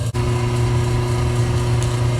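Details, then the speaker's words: 1974 AO Smith 160,000 BTU copper boiler, first startup of the season after last year's thermocouple, inlet regulator and relief valve replacement: even, steady hum from burner and pump after an initial flare-up, no rattles or surges; normal running. "all right so it is now running sounds good i would have liked to get a view of that event down at the bottom when it first starts up because it's a pretty big flare-up at first"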